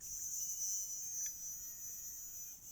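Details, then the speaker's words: Hornby 3F Jinty 0-6-0 model locomotive motor after cleaning and service, decoder plugged in, run from a 9-volt battery held across the pickups: thin steady high-pitched whirr with no grinding or stutter; sounds healthy. "That sounds healthy. That sounds healthy. So that's good."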